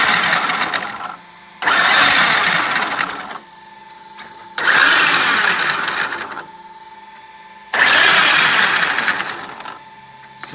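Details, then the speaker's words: Traxxas X-Maxx, stock motor on 6S, bashed hard in sand: rising motor whine bursts, then faint clicks while coasting down. Clicking on deceleration, which the owner traces to the front diff; cause suspected, not confirmed. "it seems to be on deceleration and I'm noticing that coming from the front diff"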